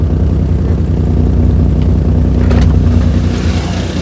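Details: Maruti 800 with burst silencer: loud, deep, throbbing exhaust rumble with vibration felt in the car, recorded from outside at ignition, noise coming from underneath; taken to a workshop for silencer repair.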